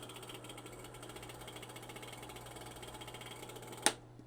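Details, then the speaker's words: Darkroom enlarger printing 4x5 film: rapid, even ticking of about a dozen clicks a second over a steady mains hum, ending in a sharp snap; abnormal, concerning clicking of unclear cause. "All right, that's making very concerning noises now."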